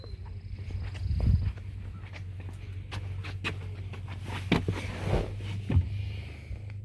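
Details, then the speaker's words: 2011 Nissan Altima four-cylinder, 221,000 miles, after replacing a cracked valve cover that leaked oil onto the spark plug, plus plug and coil, to fix a P0303 misfire; smooth, even, steady idle with no miss and no check engine light. "All right. I can tell right off the bat that this is a lot better than what it was. So, it was misfiring. It was sounding really bad. Uh, it was missing. But now, I mean, I don't have a check engine light. I have a steady RPM. I mean, it's just humming."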